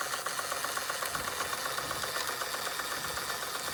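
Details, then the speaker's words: Fleischmann 135/2 toy steam engine running after repairs, burner sorted and speed steadied with regulating valve: even crisp exhaust chuffs about two and a half per second with light rattle, likened to a jake brake; normal running. "Oh, sounds like a jake brake, doesn't it?"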